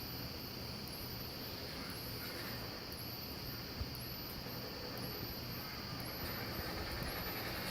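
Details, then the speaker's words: Wheelock WMT 24 remote strobe (117 candela) beside a System Sensor MASS12LO non-ADA strobe: thin very high squeal climbing, dropping and climbing about once a second as the capacitor under the reflector recharges between flashes; annoyingly loud. "I wish strobes didn't have that high-pitched squealing that comes from the capacitor that's in the circuit board area of the strobe underneath the reflector"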